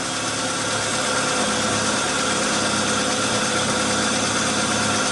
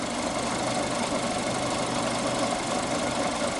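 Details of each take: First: Fiat Uno Fire 2012 idling roughly with a dense, uneven hiss-and-clatter, engine light always on, high fuel use, manifold pressure and engine load above limit, injection time 6.56 ms at idle; timing belt one tooth out. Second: 2012 Fiat Uno Fire at idle after timing correctly re-synchronised, warm at 94°C, battery 13.4 V, intake 33°C, throttle 1°; steady even idle hum with no stumble or knock, engine now healthy.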